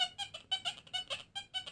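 Quick run of repeated bright beeps, about six per second, clean and full as the coin passes close over the coil; a solid target response.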